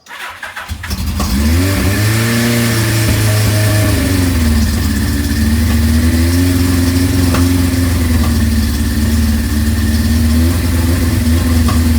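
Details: 1983 Suzuki GS1100GK naked bike with Vance & Hines pipe, run just after fitting the muffler on a bracket. Fires quickly and swells through a couple of smooth revs with a deep, even exhaust note: healthy.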